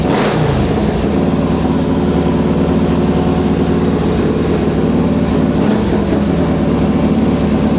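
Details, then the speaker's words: Harley-Davidson Fatboy V-twin rebuilt after a wreck, just started after fitting replacement tank. Steady even lope, deep loud exhaust note, no knocks or rattles; owner suspects compression near 10.5:1; normal healthy running. "There it is. It's back. Yeah, that sounds great. Freaking bike is so good, man."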